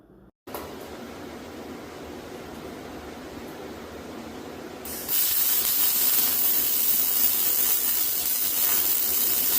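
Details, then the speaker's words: ARCCAPTAIN MIG 205 MP multiprocess welder MIG welding a repair on an old steel bar stool: a crisp, even sizzle like frying bacon starts and holds steady without popping; arc running smoothly. "let's fire up on this and we'll do some MIG welding on this thing and I'll play it in real time with real sound so you can hear this thing uh so you can hear this machine operate"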